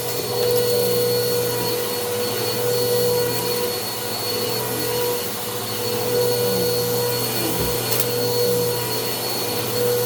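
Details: Bissell PowerClean OnePass (35831) vacuum, used Goodwill unit, running after its clogged filter was cleaned and airflow unblocked: steady high whirring motor with a faint extra whine over the airflow. The motor is still noisy; owner unsure if it is bearings or impeller dirt.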